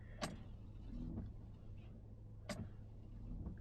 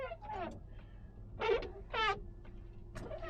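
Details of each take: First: Windshield wipers after a quick replacement, microphone right against the glass on a very cold day: only a faint soft sweep every couple of seconds, no chatter, squeak or thumping; gliding quietly as they should. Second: Squeaky wiper blades after a wiper restorer tool shaved the hardened rubber edge: sharp chattering squeals on each sweep about once a second over cabin hum; cleans slightly better but still noisy.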